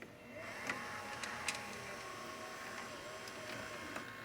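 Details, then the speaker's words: Panasonic (Matsushita) top-loading VHS VCR with added loading motor, tape loading on play: soft motor whir, scattered clicks and a solenoid brake clunk; near identical to the 1988 Sears Gold Star, normal loading. "And so is this 1988 Sears Gold Star. It sounds near identical on loading."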